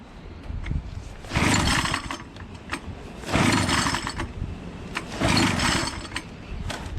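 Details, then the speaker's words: Echo PB603 blower with a Zama carburetor, fueled and on choke: three recoil pulls about two seconds apart, each a whirring crank with no firing catch; engine won't start, cause not yet found. "um so it doesn't start i'm gonna figure this out now"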